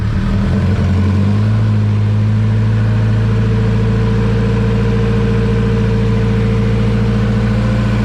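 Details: Turbocharged B-series Honda Civic EG time attack build, newly running after months of work: fires and settles into steady, even idle with smooth low drone, no knocks or ticks; sounds healthy.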